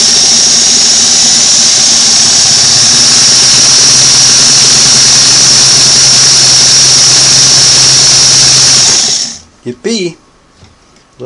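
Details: Singer Model 513 sewing machine after a new motor belt was fitted and adjusted: smooth, steady high-pitched motor whine with no slap or squeal until switched off; running normally.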